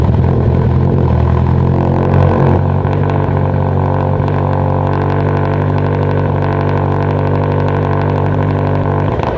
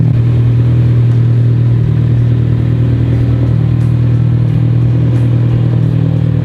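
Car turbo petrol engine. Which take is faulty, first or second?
first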